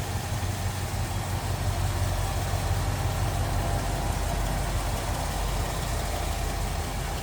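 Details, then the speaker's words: 1973 Ford F-100 Explorer regular cab, 360 V8 with aluminum radiator, idling in the engine bay: deep, even burble, smooth and unchanging, with no ticks, knocks or stumbles. Normal idle. "Here's a good look at the engine bay. 360 idling pretty smoothly."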